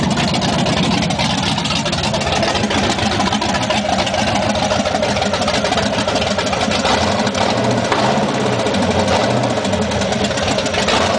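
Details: V8 at first start-up running on all 8 cylinders after plug wire repair fixed a misfire: fast light ticking over the even idle, keeping pace with engine speed; source unclear.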